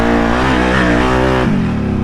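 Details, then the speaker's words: Sunk-and-revived Outlander quad, warmed up, pulled hard in two-wheel drive; strong, clean rise and fall in engine pitch, no hiccups in throttle response or misses; engine sounds healthy. "so far it sounds like there's no hiccups with the throttle response or anything smoke it in two wheel drive real quick that sounds phenomenal doesn't sound like anything's wrong"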